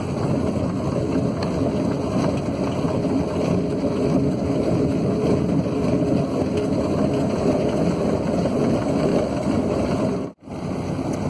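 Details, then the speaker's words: Recumbent bike on commute after fitting a new chain with an old idler: smooth steady rolling and wind noise, no chain clicks or grinding; quiet healthy drivetrain, though the idler ticks elsewhere. "But the new chain sounds sweet. Just listen to this."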